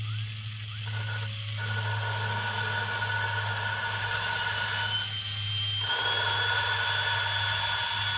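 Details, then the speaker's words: Lapping a valve (number eight exhaust) in a 1997 Land Rover Discovery cylinder head with a drill and water-based Permatex compound: steady drill whine over gritty, crunchy scraping. The seat is still rough and needs more lapping. "give a spin you hear hear how kind of crunchy that is you can almost hear there's just more more bigger bumps"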